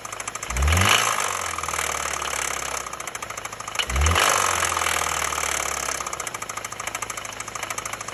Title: Стук мотора sj xt